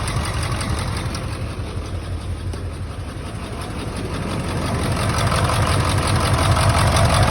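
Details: 1999 Ford F-350 7.3 Powerstroke diesel: heavy, lumpy idle with an uneven beat about three times a second, one cylinder dropping out; injector misfire being troubleshot, one injector shows no oil.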